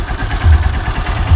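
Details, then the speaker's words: Honda Supremo with heavy cargo sidecar, about 2 years old, 16,833 km, used almost daily for hauling, broken in properly: low even putter at idle with regular pulse, nothing metallic; healthy engine. "Napakakondisyon yan, kahit na halos araw-araw ginagamit namin sa paghahakot ng mga paninda. Yan yung tunog niya."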